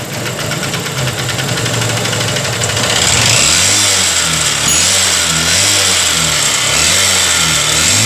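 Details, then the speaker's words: Honda CB Shine engine, timing chain recently replaced, idling with the valve cover cap open: harsh metallic clatter of about three or four beats a second because oil is not reaching the top end; valve train noise from oil starvation. "और दोस्तों यही करण है जो engine आज हमारा नहीं चल रहा है और नहीं छोड़ने के करण इस तरह से साउंड कर रहा है"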